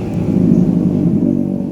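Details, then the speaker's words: BMW E30 with M10 engine: rough, lumpy, stumbling low rumble with thick black exhaust smoke; misfire persists despite a new CDI, new coils and a valve clearance check; cause not yet found. "Kondisi knalpot sampai hitam gara-gara miss fire nih."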